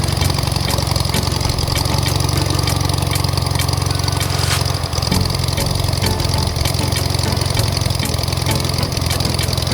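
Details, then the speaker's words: Aircraft engine on first start after full rebuild with new pistons, cold and warming at idle, oil pressure not yet up: loud, steady low idle with even firing beat, no knocks or misses, sounds tight; normal idle. "all right that's my restart after a full engine rebuild we started right up i am excited for that still got some more work to do i'm going to keep it at idle just for right now to warm up"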